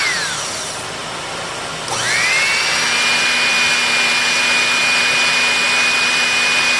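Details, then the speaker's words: Electrolux PN4 power nozzle, about 40 years old, first test run after re-greasing the motor and brushroll bearings, belt not connected; steady high whine, rpm rising slightly as the sanded commutator reseats, no grinding or rattle, minimal sparking; normal motor run. "you heard the motor rpm gradually begin to rise a little bit as everything receded to itself"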